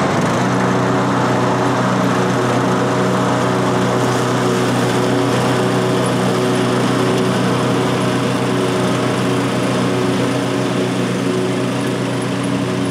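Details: 2003 Simplicity Regent lawn tractor, 19-year-old Briggs & Stratton engine, revived after years in storage, mowing grass with cutting deck mounted; steady even drone under load, no misses, running really good with plenty of power.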